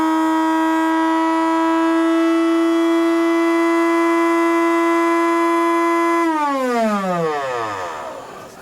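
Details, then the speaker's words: Cuisinart DBM-8 coffee grinder brought in for not grinding, bench-tested with built-in timer slider set: steady high motor whine for about six seconds, then it shuts itself off after the preset time and spins down smoothly; motor and timed shutoff work normally. "after a predetermined amount of time, it shuts itself off. Would assume that amount of time gets longer as you slide it up the scale."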